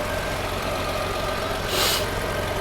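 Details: Fire-damaged Chevrolet Equinox after fuse box rewiring and fixing a loose relay connection, on a jumper pack: steady, even idle with a low smooth hum, no misses or knocks; normal idle.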